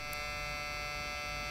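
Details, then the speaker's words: Floppy drive in a Toshiba Satellite Pro CDT440 laptop with a disk inserted, making a steady, constant-pitch electric whir with no seeking or clicking as the motor spins freely; broken floppy drive belt. "now that doesn't sound good so there is something wrong with the floppy drive now i'm not sure what's wrong with a floppy drive"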